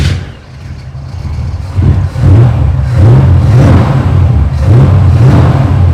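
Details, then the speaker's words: 1947 Ford street rod V8 after fixing a miss from fouled plugs: strong low rumble with clean throttle blips rising and falling smoothly, no misfire. "There aren't enough O's in smooth to describe how that's running now, so that's good."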